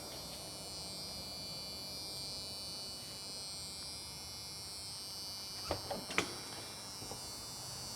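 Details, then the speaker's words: 1987 Chevrolet Silverado R-10 squarebody pickup, 5.7 350 TBI, 700R4 overdrive, door open inside the cab: thin, steady high-pitched buzz from the original door buzzer, still working normally. "Can you hear the buzz? Okay. Yep. It's got the original buzzer."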